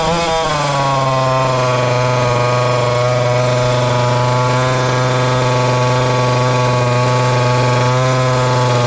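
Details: Ported little 2375 chainsaw with carb and ignition-timing mods, running methanol: steady hard high-rev two-stroke scream with no rich burble or four-stroking. Still lean with the carb tuned full rich; the carb needs drilling out.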